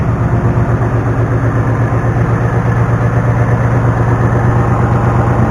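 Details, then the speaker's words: Cold-started 2019 Ford Mustang GT Performance Pack 1 with 190 miles on it, before its first oil change. The V8 idles fast with a busy, clattery top-end rattle over the exhaust pulse; the cause is not pinned down. "You can hear that noisiness. Here's the pit in my buddy's garage. Tell you what, man, for having 190 miles on it, it's awfully rickety. Making a lot of rattling, especially"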